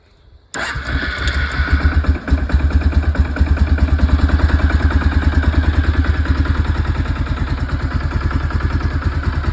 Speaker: sounds good like that but it is still cold so